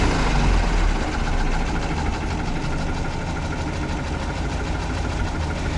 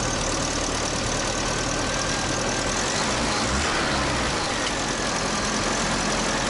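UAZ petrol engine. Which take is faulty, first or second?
first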